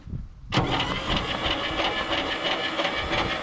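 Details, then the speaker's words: Abandoned 1959 International B100, starter hot-wired with a push button to the battery: starter kicks in abruptly and churns slowly, unevenly without catching; weak cranking, not the best but cranking. "there we go right there she ain't the best cranking thing I've ever heard by any means but she is cranking"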